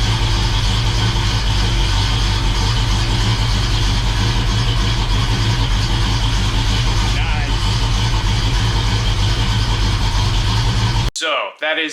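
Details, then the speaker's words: First start of a freshly rebuilt 350 in a 1969 Oldsmobile Cutlass, during new-cam break-in: steady, slightly lumpy V8 idle with an even low beat and no knocks or ticks; a healthy engine with an audibly mild cam. "we got a pretty mild cam in it that you can hear"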